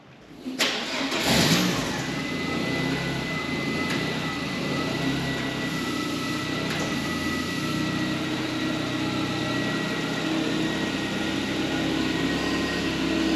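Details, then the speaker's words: MK1 Ford Fiesta after Zetec engine transplant, first start after swapping coil wires: quick crank, catches cleanly, steady even idle with no misses or knocks, much quieter than the old engine. "So if you remember how it sounded before, so this is how she sounded before. And this is what she sounds like now. Amazing."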